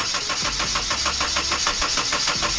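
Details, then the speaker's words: 1997-2001 Honda CR-V cranking with a spark tester on the ignition leads. Steady starter cranking at about five pulses a second never catches; there is no spark at any plug, so the distributor cap and rotor are suspected. "nice we got no spark no spark to the spark plugs at all so now we're going to pull the distributed cap and rotor off and see if we got spark there"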